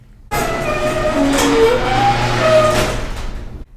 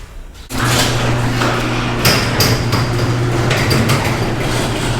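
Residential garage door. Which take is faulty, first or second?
first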